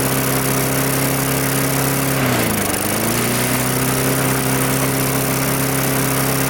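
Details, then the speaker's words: Mid-2000s MTD Yard Machines push mower with air-vane governor, after pull-start repair, runs steady then sags sharply and recovers within a second; fuel leaking at carburetor, owner assumes it loosened from the tank. "well that actually runs pretty well however I can see there is fuel leaking out of the carburetor right there in the same basic location that it was leaking out on the red mower"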